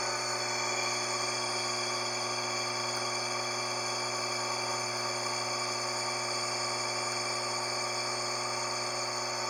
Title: motor fazendo barulho no rolamento